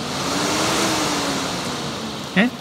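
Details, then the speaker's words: BMW E30 auxiliary cooling fan jumpered to high then low speed, bypassing suspected bad temperature switch; wiring confirmed good: steady even air rush over smooth motor hum, no rattle or rubbing; normal fan operation. "So what I'll do is, I'll just connect it to the high speed. You can probably hear it. And I'll do the low speed. High."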